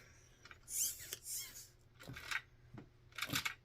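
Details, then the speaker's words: Axial Ryft RC crawler, front differential turned by hand: sharp ratchety clicks in bursts, never smooth, unlike a healthy one; front diff is broken, to be taken apart and repaired. "now we're gonna take it apart front diff gone you you can hear yeah"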